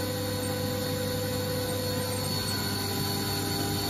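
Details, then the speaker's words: Haas VF-0E 20 hp vector drive machine after vector drive repair and spindle noise fix: 7,500 rpm spindle running at speed gives a steady, even hum with a low drone and fixed higher tones, no surging; normal. "but you're gonna get a spindle at the motor sounds quite good it's a seven half thousand rpm spindle running at a"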